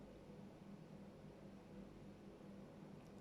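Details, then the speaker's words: Water leak detection by listening over parquet floor, after thermal camera pointed to the area: steady low rushing with faint pulsing hum from a water leak beneath the parquet. "var yani sesi algılıyorum burada o Muhtemelen tam olarak burada parkede sökeceğiz"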